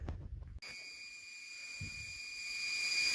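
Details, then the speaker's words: Residential toilet tank refilling, heard up close: a sudden pop then a steady high whistling squeal from the fill valve; debris in the fill valve suspected, valve to be replaced. "when you take the toilet chocolate lava to a little bit closer you could hear them to pop squeal and probably have debris that's up in this guy's gapped it up here"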